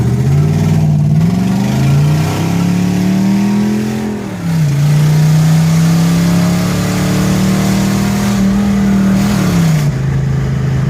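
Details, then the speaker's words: 1970 Chevelle SS 396, 350 hp, Turbo 400 automatic, original survivor on test drive: V8 pulling away through shifts, a little backfire when extra gas is dumped in; backfire on acceleration. "To run, dumping a little extra gas in there, a little backfire burnage."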